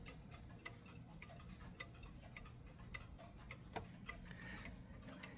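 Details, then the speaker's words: Mechanical clock after gently pushing the crutch to set beat: soft, evenly spaced ticks about every half second with equal tick-tock gaps; now in beat. "And you see there I just got lucky it's in beat now because most of the times that that because most of the times that's not the case."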